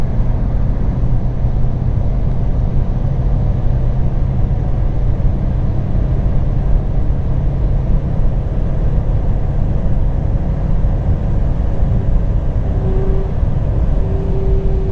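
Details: 2007 Alfa Romeo 147 1.9 JTDm 16V, 150 HP, at around 180 km/h, low turbo boost issue: heavy road and engine roar, then steady mid-pitched whine from the right side; owner suspects the wheel(s).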